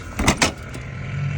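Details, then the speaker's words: 2017 Freightliner Cascadia with under-pressure DEF and high DEF pump speed fault codes, during ADS self-check: sharp clunks, then a low, steady hum as the DEF pump runs but delivers no DEF; the pump was later found faulty. "all right so we don't have any de coming M out from there so it means we may have a supply issue or a pump issue I hear the pump"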